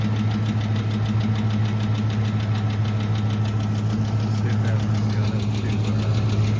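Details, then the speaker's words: Truck at idle, cool 61°F morning, oil pressure still good: light, fairly even tick about three times a second over low engine hum, slowing as it runs; owner suspects oil-related or the power steering pulley, unconfirmed. "Ticking's starting to get a lot slower. It might be an oil thing, but I know when you take off, you hear that, or when you stop, you can hear that little ticking, and then it goes away."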